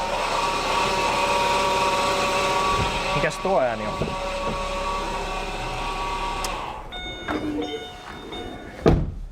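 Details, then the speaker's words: Opel Antara running after a steering rack replacement, wheel being turned to fill power steering fluid: steady whirring rub with a squeaky tone; owner wonders if the pump is straining, suspects a heater cable touching; belt-rubbing noise, unconfirmed. "Erikoinen ääni, mitä mä oon unohtanut. Oliko se vaan se pumppu, mikä siellä vaikeertaa?"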